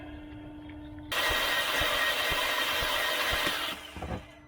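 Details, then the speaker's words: 2013 VW Tiguan 2.0T, towed in no-start, compression test: starter spins engine fast and evenly about two beats a second without labouring, 50 psi first then nothing; no compression because intake camshaft not turned by cam gear and actuator. "It built 50 pounds of pressure the first time, nothing after that."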